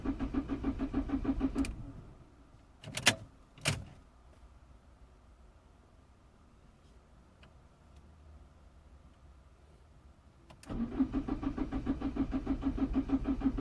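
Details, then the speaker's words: 2004 Citroën C3 1.4 L HDI diesel, code P1164, limp mode. Cranks at a steady three beats a second, stops and cranks again without firing, while rail pressure reads a stuck 78 bar; pump versus sensor in question, ultimately a faulty fuel rail pressure sensor; crank no start. "see he's reading still reading 78 so is the pump actually not giving the pressure or is the sensor not reading"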